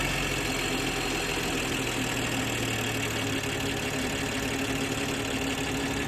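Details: BMW G20 M340i, B58TU engine, 42k on the clock, cold start idle: fine, fast metallic ticking over the engine hum that lasts only about a minute, then sounds normal; owner unsure whether it is normal.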